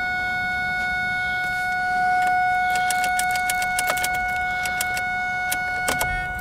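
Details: 2001 Ford Focus no-start with good, charged battery, good connections, fuses checked and relays swapped: turning the key gives a steady, unbroken chime with scattered light clicks, no cranking, and the car acts as if the key is off.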